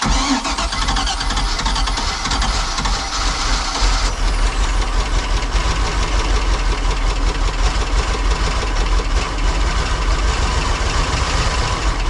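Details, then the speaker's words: Cheap used boat engine with electric fuel pump: long steady cranking, engine catches and sputters briefly but won't keep running; owner suspects he flooded it with extra throttle pumps and smells gas; oil still not milky. "H all right well it wants to run a couple more pumps did I give too much [Music] gas probably flooded it now I smell gas"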